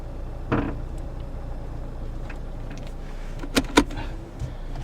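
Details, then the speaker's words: 2009 Toyota Corolla, 190k miles, engine idling: a few dull single clunks as the steering wheel is turned; owner suspects outer tie rod or ball joint, and later finds the outer tie rod boot cracked and leaking grease, replacing the outer tie rod. "recently the car have some kicking noise I believe they come from the outer tie wall or ball joint I'm going to check it out"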